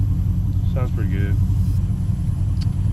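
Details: Pontiac G8 GT V8 idling after DIY oil change with Mobil 1: smooth even low rumble, no knocks or ticks; owner listening for lifter problems says so far it's running right.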